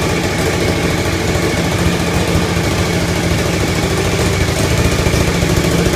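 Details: Suzuki TL1000R first startup after four-month restoration, exhaust gasket (donut) still missing: lumpy, uneven V-twin idle with pops and hiss from the leak, white smoke; irregular idle with exhaust popping, owner suspects the missing gasket.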